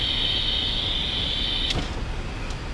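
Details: Truck air brakes with the delivery lines disconnected one at a time: a steady high-pitched hiss cuts off abruptly once the back-feeding line is opened. The exhaust-port leak comes from a faulty rear relay valve, not the valve being tested.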